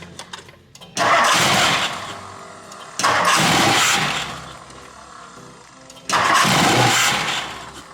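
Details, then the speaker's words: 1964 Mercury Montclair, Ford FE 390 with cam and intake kit, first start in 40 years: catches three times, runs rough a second or two, then dies; fuel starvation from a clogged tank and fuel line. "Alright, well, our gas tank is completely clogged with just stuff. So you can see down here our fuel line is completely clogged."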